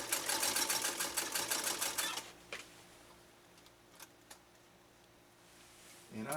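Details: Restored Singer 192K Spartan sewing machine with a .80 amp motor. A fast, even needle clatter for about two seconds, then a clean stop: running smoothly.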